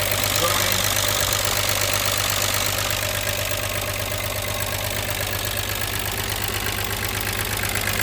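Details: VW Jetta Mk3 VR6 12V just started after engine swap, sat a long time, WD40 in cylinders, smoking: light tick about three per second over steady idle, most likely lifters noisy after long sitting.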